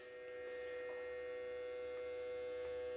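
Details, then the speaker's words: Peugeot 205 GTI, engine off, new idle control actuator driven in diagnostic test mode: faint steady electric buzz with a mid-pitched tone as the valve motor regulates position; normal operation. "il y a un petit un petit bourdonnement c'est quand le moteur est en train de régler"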